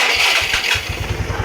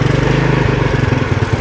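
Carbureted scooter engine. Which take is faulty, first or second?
second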